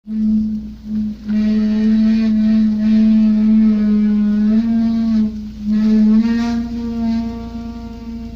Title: Сильный скрип при торможении на малой скорости VOLVO 740